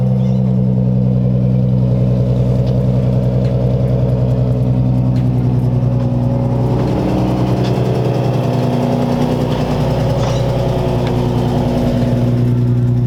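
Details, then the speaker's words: Lowered Nissan 350Z V6 at idle: a fast, raspy puffing tick over the deep drone from an exhaust leak at the Y-pipe, which was damaged by scraping. "I do have a pretty gnarly exhaust leak at the white pipe."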